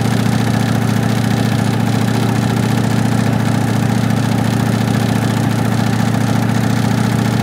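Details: 1965 Ford Mustang coupe V8 run with transmission removed, engine supported, air cleaner off, no exhaust, RPM held at fast idle: loud open-pipe note with steady rapid deep knock, three or four a second; felt at oil pan front, cause not found.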